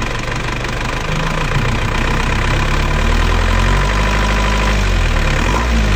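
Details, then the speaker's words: Diesel engine after rebuild with new piston rings and new timing gears, after retarding injection pump timing slightly: steady, softened idle clatter with no harsh jet-like roar; timing corrected, now smooth. "oke Sekarang suarnya kan sudah halus kan sudah halus"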